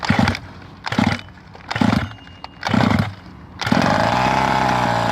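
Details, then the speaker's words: 1/5 scale petrol RC car, small two-stroke without a choke, carb primed until it fills with petrol: four rhythmic pull-cord bursts about a second apart, then it catches and holds a steady buzzing idle; starts cleanly. "Couple pulls, a few more pulls, and then one big pull."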